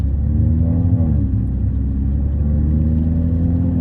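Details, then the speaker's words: Car with a broken, leaking exhaust, driving on the way to an exhaust shop for a downpipe replacement: loud, deep droning rumble swelling and easing with throttle, blatty boom of the leaking exhaust. "Sebab apa? Sebab ekzos aku botor. Memang kuat gila."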